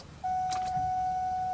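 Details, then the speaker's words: 1999 Ford Mustang that sat for years, jacked up, key cycled on: a steady, fairly quiet mid-pitched whine of the electric fuel pump priming normally. It is quieter now that air bubbles have been pushed through. "now I hear it okay so it must have been sucking up and pushing up some Bubbles and stuff so it's a lot quieter"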